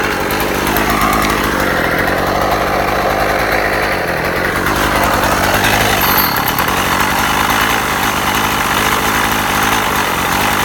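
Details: Husqvarna 36 chainsaw after repair, warmed up: steady, even two-stroke buzz picking up cleanly when revved, no stumbling or misfires; restarts first pull every time; normal idle and revving.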